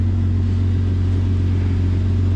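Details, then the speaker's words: 2004 Jeep Grand Cherokee 4.0 six-cylinder after replacing a blown PCM battery fuse that caused crank-no-start; deep, even rumble at steady low speed with no stumble or knock; normal idle. "okay so this is great this is exciting we got this thing figured out they start is running now"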